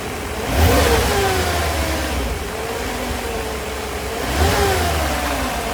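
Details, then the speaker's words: 1991 Mercedes 500SL (R129, M119 V8), warm, with a high idle once warm: two quick revs, each time the revs hang high and slowly sink toward idle. Owner unsure of the cause and wonders about the idle control valve. "it's kind of weird that it was hanging up right here when I was uh over here playing with the throttle"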